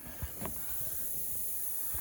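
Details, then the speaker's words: M35A2 truck, bonnet up: a steady high hiss under dull knocks. Compressed air is leaking from a hole worn in the compressor-to-main-line pipe where it rubbed on the radiator. "Bonnet is currently up cuz I'm chasing an air leak which you can hear hising way down"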